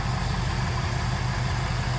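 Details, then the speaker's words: 1996 Chevrolet Camaro Z28, 5.7L LT1 V8, tuned on stock cam, 4-speed automatic, just started: deep, steady idle with gentle rhythmic lope from the tune, smooth and even, no knocks; normal idle. "Because it is tuned, it does have a little bit of a lope to it. It is on a stock cam though. You can hear it purring"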